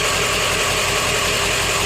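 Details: Loud, even idle clatter with steady regular ticking from an OBS Ford 7.3 diesel after the IPR valve was replaced; the failed IPR had caused a no-start and a freeway stall, and it now idles normally.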